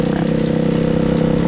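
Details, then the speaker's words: Hawk 250cc dirt bike after wiring harness replacement: steady high, fast-pulsing run that never settles to idle, running wide open with choke on or off; unidentified carburetor problem. "We got carburetor issues though. It won't run with the choke on, off. So, you can hear it, it's running wide open."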